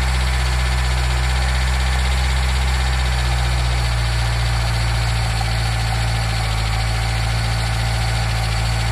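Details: Nissan Micra K10 after the carburetor auto choke was repaired, cold start run up to temperature: steady, even low idle with a smooth rhythmic pulse and no knocks or misses. It warms cleanly on choke, which later opens.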